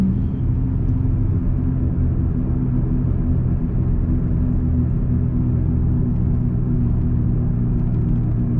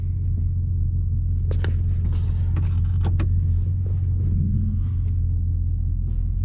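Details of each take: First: 2002-2005 Dodge Ram 1500, recorded inside the cab while coasting at speed before hub replacement: steady low drone with no engine pull behind it, worn front wheel hub bearings. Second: 2002-2005 Dodge Ram 1500 on a test drive after front wheel hub replacement, recorded in the cab: steady low road rumble with no growl or hum rising with speed; the new hubs give a quiet ride.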